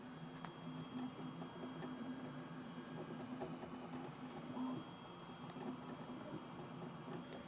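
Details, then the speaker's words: Flashforge Adventurer 5M printing its first layer with part cooling fans off and doors closed, mic held to the printer: soft whirr, faint stepper buzz and light ticks, about 43 dB; normal printing noise. "so this is what it sounds like when you're just dealing with the mechanical noises of the printer"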